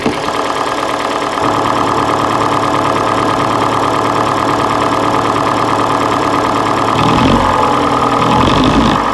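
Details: Hyundai G4NA engine at steady idle: hollow knock about three per second; teardown found scoring in cylinder 3, piston slap from scored cylinders; engine to be resleeved in a major overhaul.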